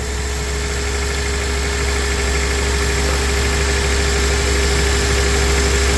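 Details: 2004 Honda Accord rough, lumpy idle that keeps missing as ignition coils are pulled one at a time to find the dead cylinder.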